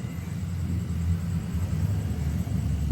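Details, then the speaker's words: LG two-door fridge after replacing the faulty PTC relay, plugged in since afternoon and now cold: quiet steady low compressor hum, no clicking or cycling off; running normally. "Jadi kesimpulannya, kulkas ini sudah normal, ini sudah kecolok, makanya dari tadi ini hidup mesinnya. Kalau teman-teman bisa dengar ya."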